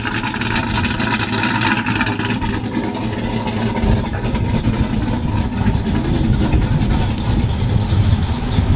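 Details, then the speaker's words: Engine after a misfire fix and replacement of the front suspension and control arms, still awaiting a tune; loud, deep, steady idle with even firing, no misses or knocks and no check engine light. "that sounds pretty badass"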